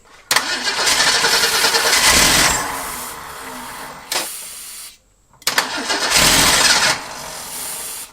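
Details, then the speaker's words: Ford Durango (Ford car-based pickup, Duraspark ignition) revived after 9 years sitting, mouse-chewed voltage regulator wire: engine catches and runs only while cranking, cuts out when key is let go, twice; starter solenoid ignition-override circuit explained. "okay here's what I'm saying as soon as I let off the key for cranking the engine shuts off"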